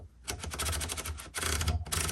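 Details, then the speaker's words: Late-1960s/early-1970s Penncrest Concord 10 typewriter, platen knob turned: quick runs of crisp, evenly spaced clicks, one every half line, each detent clean; the platen ratchet works normally, with a button for variable adjustment between clicks. "Okay, so that's clicking every half of a line."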